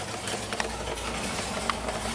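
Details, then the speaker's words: 1977 Pontiac Firebird Formula V8, freshly installed, first run with no antifreeze, loud exhaust: even, steady idle rumble with no knocks or misses, charging with oil pressure, doesn't sound bad. "And it still sounds like a pulp wood truck, believe it or not."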